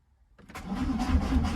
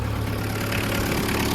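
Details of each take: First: Diesel being jump-started: sluggish cranking with a few slow, heavy compression beats before it catches, then no smoke; battery too weak. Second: VW Caddy pickup 1.9 diesel, jump-started on a weak battery: a steady, even diesel clatter at idle with a firm low rumble and no misses or knocks, and no smoke. Normal diesel idle.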